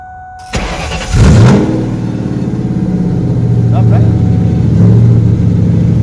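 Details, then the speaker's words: Donor Mustang bought for its drivetrain, with performance parts reportedly installed: after a brief crank the engine catches with a rev flare and settles into a steady, even idle of about 900-something rpm. Normal start and idle. "for now we always know what it sounds like it runs an idle as well um i think it was idling about 900 something around there"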